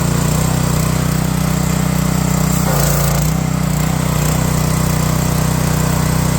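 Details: Pressure washer after a cold start, with the choke released slowly and the throttle turned up: a strong, even low drone with a steady firing beat, no misses or knocks. The engine runs smoothly once warmed.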